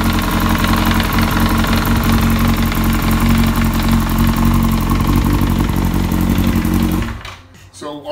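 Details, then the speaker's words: 2003 Yamaha R1 being revived; loud, fast metallic clatter over the idle until shutoff, sounds like the cam chain slapping on one side of the crankcase, suspected too much chain slack near the tensioner, not confirmed. "what it sounds like is it slap and really bad on one side of the crank case which means that there's too much slack in the ch"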